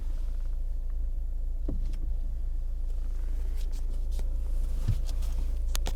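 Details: Lada Kalina Cross idling while the steering wheel is turned: a few dull knocks come through, likely something loose in the steering; knock when turning wheel.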